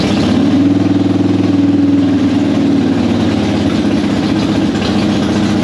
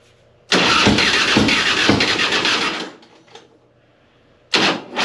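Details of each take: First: Normal running on a 2005 Harley-Davidson Softail Deluxe after fixing slow cranking and hard starting by wire-brushing the battery cable contacts, choke out: steady, lumpy V-twin beat with throttle blips and no misses. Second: 2005 Harley-Davidson Softail Heritage Deluxe: the starter grinds over sluggishly, about three beats a second for two seconds, without catching. Corroded positive and negative battery cables starve the starter even with a battery fitted last year. Wire-brushing both cables restored normal cranking and starting.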